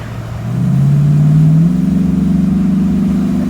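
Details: 2006 Dodge Ram 1500 Mega Cab on a test drive after three new universal joints, new spark plugs and valve cover gaskets; the engine note climbs evenly as it pulls away, with no squeak, clunk or shudder, so the driveline sounds healthy.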